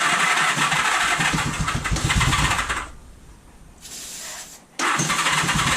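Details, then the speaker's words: 1978 Honda Goldwing, 45 years old and sitting idle for years, first start attempt with choke out on starting fluid and a weak battery: the engine catches and runs rough for a few seconds, dies, coughs, then bursts back, firing only on the fluid. "oh there we go it fires it runs it's running i killed it with starter fluid"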